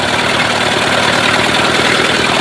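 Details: Mercury 8 hp outboard of unknown sitting time, in a test tub, out of gear, a little choke, started on the second pull: steady, even buzz with no misses or knocks; running fine.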